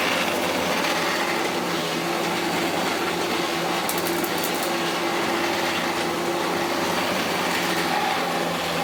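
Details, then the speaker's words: Hitachi Powerhouse CV-460D upright vacuum, late 1980s to early 1990s, after brush roll work: steady, livelier motor roar with a faint light rattle remaining. Possible causes are the motor, the belt or the brush roll; unclear. Rattle. "Well, that's a lot perkier now. It's still not completely rattle-free."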